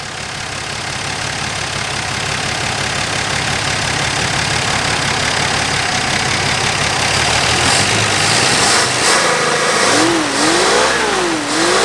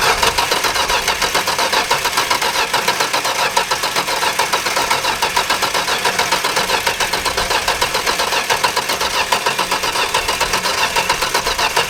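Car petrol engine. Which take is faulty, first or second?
second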